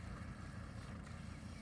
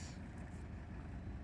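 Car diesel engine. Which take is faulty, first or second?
first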